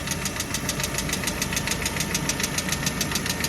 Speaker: Что за стук такой? Что тут стучит?